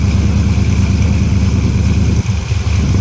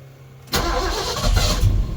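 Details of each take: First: Big block Ford V8 with a 750 CFM Brawler carburetor, choke set, started stone cold at about 30°: deep, steady low rumble with even firing, no misses or knocks; fine cold start idle. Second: Big block Ford with 750 CFM Brawler carburetor, cold start at about 30° with choke set: catches abruptly, runs loud and uneven, surging and stumbling while still flooded; rough running just after start, throttle used to clear it.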